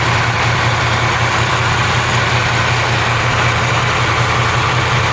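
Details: 1968 Camaro convertible V8 just cold-started on a February day, engine at 46–47°F: deep, even burble at steady idle with no ticking, knocking or stumbling, no major oil or white smoke seen; healthy cold idle.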